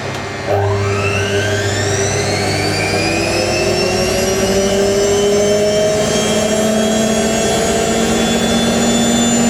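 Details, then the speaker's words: Hotpoint 9530 Electronic 1000 Plus washer, repaired after a burnt/shorted neutral wire on the mains lead, on a twin bedding load; the 1000 rpm spin winds up into a steady rising whine with no thumping, super smooth and balanced. "so wonderful super super smooth foreign"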